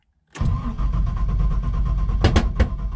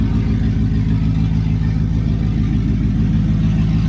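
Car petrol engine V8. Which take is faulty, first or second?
first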